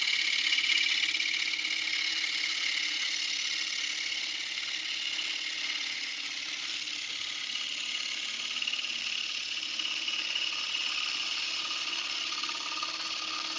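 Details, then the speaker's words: Wood lathe turning a lidded bowl: steady high hiss from the cutting tool whose pitch slowly shifts during the cut, showing the bowl wall is getting very thin. "I'm sure you guys could hear that pitch changing and we are getting pretty pretty darn thin right now."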